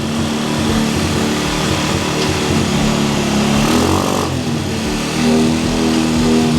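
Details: Cheap quad bike ATV after new wiring loom, cleaned carburettor, new spark plug, CDI, regulator, battery and clutch, jump-started and warming up: small single keeps a steady lumpy idle with light blips, no knocks or rattles; normal running.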